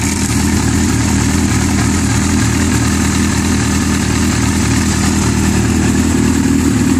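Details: Yamaha R6 busy idle with loose metallic rattle over the firing; slack cam chain from a faulty screw-type automatic tensioner that can't keep tension.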